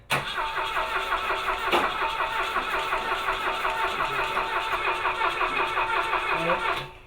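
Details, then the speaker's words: Car that should run, spark present, carburettor float bowl leaking fuel and possibly flooded: starter cranks steadily about seven seconds but engine never catches; cranks but no start, cause unknown. "All right, shut her off for now. I'm stumped."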